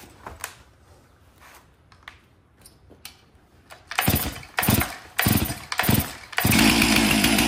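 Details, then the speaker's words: Stihl MS 362 chainsaw, about 7 years of hard use, hard to start and low on power, smelling of fuel, spark checked: several rope pulls with brief sputters before it catches and runs. "I can smell gas definitely doesn't want start"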